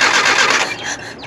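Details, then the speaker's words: Nissan 720 pickup that sat for about 20 years: a short burst of starter whirring fades out without the engine catching. It cranks but won't start; an ignition issue is suspected and the carburetor is not running right. "That ignition issue might be getting us. Give it one more go. Now, even though the carburetor is not super happy on this thing, that just goes to show Japanese engineering for you."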